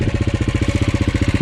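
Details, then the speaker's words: KTM 530 EXC-R, cold start on choke in December: fast, even rattling pulses over a low idle; cam chain slap because the factory hydraulic tensioner gets too little oil pressure with cold, thick oil. "you hear that chain tensioner a chain tensioner makes way too much noise in these bikes"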